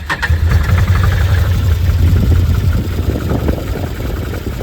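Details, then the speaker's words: Can-Am Commander 800 XT side-by-side after new spark plugs (to clear maintenance-required/check-engine light): low, fairly steady idle rumble with no stumbles or misfire pops, sounding a lot smoother than before. "plance required check engine sounds smoother sounds a lot smoother let's just sit here and wait and see what it does"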